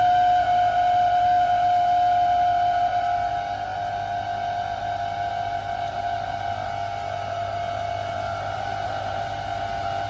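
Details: Beko DSX83410W condenser tumble dryer running: a steady high whine rides over the drum noise and eases slightly after a few seconds; very loud from the condensing tank area, cause unclear.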